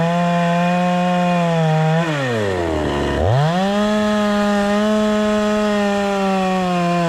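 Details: Proyard 450 chainsaw after repair of a no-run fault, cutting wood: steady high two-stroke buzz that bogs as the chain bites, then recovers cleanly to full revs. The saw runs healthy.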